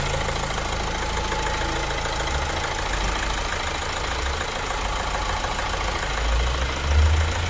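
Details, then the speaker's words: Opel Insignia 1.6 136 hp diesel, about 154,000 km, after timing chain replacement and engine cleaning: even, steady idle with a smooth low rumble and no knock or rattle, before highway test. "Aracımızın otoban testine çıkacağız aracımızı sesi on numara bu şekilde yaptık"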